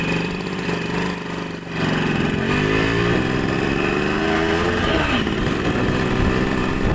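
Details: Yamaha RX100 two-stroke motorcycle on a test ride of about 2–3 km after reassembly. It pulls cleanly through the revs with the note rising smoothly between shifts, and acceleration is fine with no problems.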